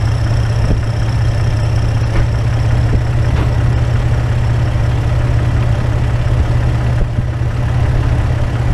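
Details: Toyota AE101 Levin after timing belt, crank and cam work, jump-started with a dead battery: loud, uneven idle with a choppy low throb and no settled rhythm; the spark plugs looked fouled.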